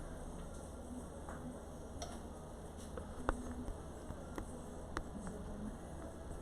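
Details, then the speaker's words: Mevo camera plugged in to charge, battery 86%, getting hot: faint irregular light ticks about once a second over quiet room hum; unexplained ticking while charging. "I'm really sorry about the noise here. This is the second Mevo I've gotten."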